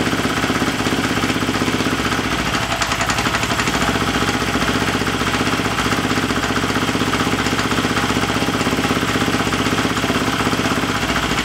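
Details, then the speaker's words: Husqvarna FE350 converted to FE 366 idling in the garage after a full rebuild, with the spark plug wire reseated and idle raised slightly: even, fast-pulsing idle around four beats a second, no stumbles or knocking. Runs fine. "we don't want to run it a lot in the garage here, so we don't want to get poison here, but yeah, she runs and that's the most important. Everything is fine."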